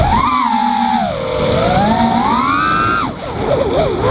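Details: Quadcopter on Betaflight 2.8.1 with 8 kHz gyro/PID, props changed from 5x4x3 to 5x4x4: motor whine sweeps with throttle, then a multiple wavering chirp after a sharp stop and high-throttle punch-out; owner suspects propwash or oscillation, partly reduced by lowering P gains.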